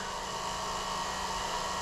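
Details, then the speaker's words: 2000 Jeep Cherokee 4.0L, key on engine off: steady electrical buzz from the ASD relay in the underhood fuse box. Test light on one side of an unlabeled fuse turns the constant buzz occasional, pointing to an intermittent fuse. Also start-then-stall unless revved. "So the constant buzzing stops and the constant buzzing turns into occasional buzzing if I touch my test light to there."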